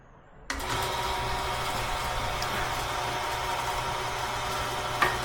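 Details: Dual-tooth sawmill bandsaw blade sharpener grinding a dull 2-inch by 223-inch blade, starting at the first tooth after the weld on its very first sharpening: steady gritty grinding hiss with light tick about four per second as the wheel rides each tooth; grinding cleanly.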